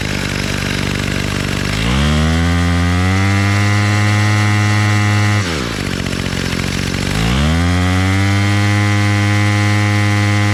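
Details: Bolens MTD BL-160 25cc two-stroke trimmer after carburetor clean and low mixture screw reset, choke off: smooth buzzing idle climbs cleanly to a steady high-pitched scream at full throttle and drops back; runs properly.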